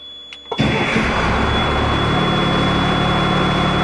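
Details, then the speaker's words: M931A2 5-ton truck, 8.3 L 6CTA diesel, with all fuel lines and filters replaced: brief crank, catches within half a second and settles into a steady, even idle; healthy fuel delivery, properly serviced start. "how these trucks should start"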